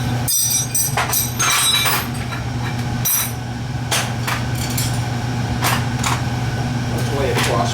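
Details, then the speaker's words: Oil-fired lowboy furnace after annual service, blower running: steady low droning rumble with occasional knocks as the ductwork resonates, because it was installed with no cross bracing. "No cross bracing. That's why it's making all that noise."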